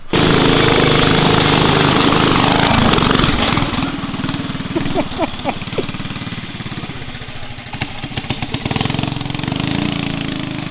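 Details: Murray Explorer off-road go-kart fitted with a Honda GX270 engine, carb cleaned: loud rev, then the engine sags and chuffs unevenly with popping as it pulls away, a bog on takeoff; owner says it needs rejetting.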